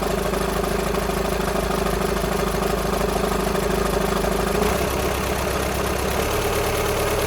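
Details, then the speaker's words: VW Sharan 7N 2.0 TDI common rail diesel (CFFB), cold start after new timing belt, injectors refitted and fuel lines drained without bleeding; loose irregular rattle over idle clatter, note shifting partway; owner suspects tensioner pulley, unconfirmed. "So I think the noise at low idle, or at idle, is that tensioner pulley rattling. I don't think it's anything to do with the engine."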